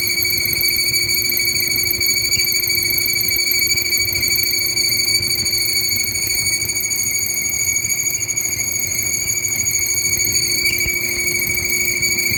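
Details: Whirlpool stacked washer dryer: steady high-pitched squeal ringing over the machine's quiet hum without letting up; squeaking noise, source not pinned down.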